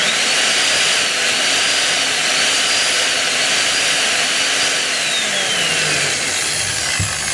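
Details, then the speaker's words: DeWalt D25899 10 kg jack hammer, armature fine, running opened with broken connecting rod: harsh, gritty run with uneven clatter about three knocks a second as the rod strikes the gear housing; piston also damaged, full piston and connecting rod set to be replaced. "isa lang ibig sabihin mga kabay, yung ingay kanina, ito yon. Tumatama doon sa gear case or gear housing. Ayan. So, syempre pag umiikot, tumatama ito doon, kaya maingay."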